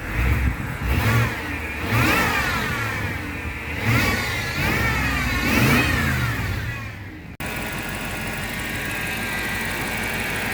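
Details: BMW X5 4.8i with N62 V8: a moaning, meowing whine swoops up and down with the revs over the engine note; source of the engine whining noise unclear.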